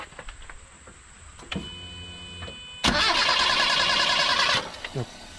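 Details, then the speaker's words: Proton Wira that stalls when hot and won't restart until cool: about two seconds of steady fast cranking with no firing during a plug-lead spark test, which shows no spark. "Okey, dia tak ada api."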